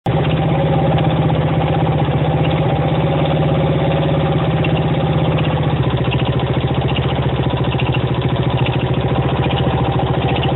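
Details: 1975 Honda XL125K single-cylinder engine at idle: a dull, uneven knock rides on each chugging beat; the cause is unclear, and a newly installed cam chain did not cure it.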